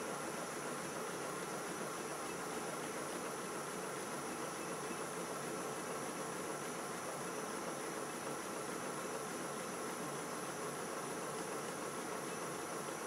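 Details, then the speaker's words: Model steam railway locomotive running: steady, even steam hiss and smooth continuous exhaust drawing the fire, no knocks or uneven beats; dry steam, running sweetly. "now the engine's running the exhaust blasting of the chimney is drawing the fire through the tubes so the steam to the cylinders looks very dry now"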